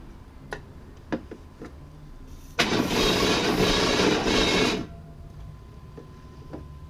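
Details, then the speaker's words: Chevy S10 Blazer being revived: faint irregular ticks over a quiet idle, then a harsh scraping rush for about two seconds. The fan blades are catching the shroud, which needs pushing over. "hold on a minute fans get in the Shroud a little"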